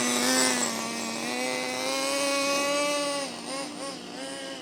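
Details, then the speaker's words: HPI MT2 nitro RC truck, started with a cordless drill after the rotary starter burnt out: thin high buzz holds at a fast idle, sags briefly and settles back high. Idling too high; throttle linkage suspected. "Well, it's definitely idling a bit better. It's still idling quite high, but I'm happy with it."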